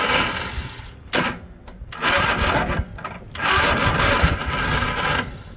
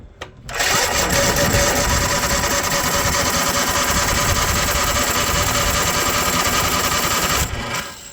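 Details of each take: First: Cub Cadet zero-turn mower with Kohler engine, after repairing rubbed-through wire, fuel solenoid clicking with 12 volts; rough gritty crunching bursts on key turn, no catch; crunchy Kohler starter grinding, no start. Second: Cub Cadet zero-turn mower with Kohler engine, after repairing a rubbed-through wire that left no voltage at the fuel solenoid: fires after a brief crank, settles into a steady, even run with no misses, then shuts down cleanly. Healthy.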